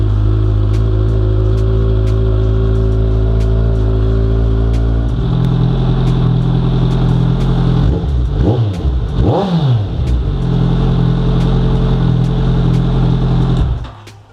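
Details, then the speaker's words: 2017 Kawasaki Ninja 1000 first start after oil change, after months of sitting: fast, even high idle right after cold start while oil circulates, a couple of blips, drops back smooth; normal cold-start high idle. "is the bike starts very high idle, very high. I like to let the oil circulate and you can hear an audible change in how the bike sounds while"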